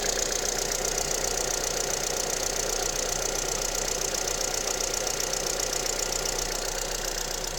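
Fast, fairly even light ticking-knock over a cold idle, roughly four per second; a knock whose source isn't pinned down yet.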